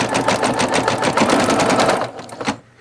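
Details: Singer Futura XL 550 after fixing the bobbin-area rattle, thread seated in the take-up spring, hoop on; fast, even stitching clatter at a steady rate that winds down cleanly, no bobbin-plate rattle; normal stitching.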